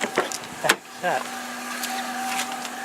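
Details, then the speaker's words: Project car: a few knocks, then an even, mid-pitched whine holding steady from the cooling fan, clearly different from its usual sound; cause unknown. "oh that's weird I guess I'll turn it off but I never made a noise like that before I know what the fan sounds like that sounds really different now"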